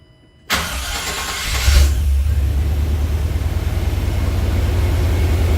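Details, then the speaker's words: OBS truck on its first test start after its dragging starter was replaced with a 1998+ Vortec starter, battery temporarily reconnected: a quick, crisp half-second crank that catches straight away into a steady idle; the starter works properly. "guys hey that sounded pretty good it has a totally different sound um it's not the sound I'm used to these trucks have a very unique starting sound"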